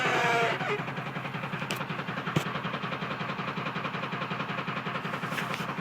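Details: 2002 Ford F-450 with 7.3 Powerstroke diesel at idle: steady, fairly even tapping about 3.5 per second over the diesel rattle; owner suspects a bad injector knock.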